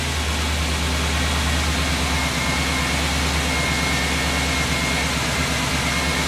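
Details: 1979 Jeep CJ5 with 350 Chevy small block, steaming at about 240 degrees with only one fan: loud rough uneven churning rumble with hiss as it turns over; abnormal cranking, bad starter suspected.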